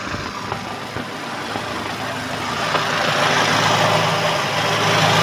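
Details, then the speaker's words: 1990 Honda Grand Civic with aftermarket header: loud, raspy exhaust at steady idle, no metallic knock or piston ring noise underneath; engine smooth and healthy, normal idle. "sebenarnya sih mesinnya masih oke masih cukup halus tidak ada ciri-ciri metal kena atau ring seer seer kena ini Kondisinya masih cukup oke masih cukup halus"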